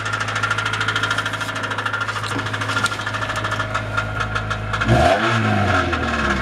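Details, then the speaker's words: Honda B16A engine at idle, knock continues with clutch released in neutral: sharp steady knock over idle at roughly three per second; source unknown. "Опускаю нейтральную передачу. Стук продолжается."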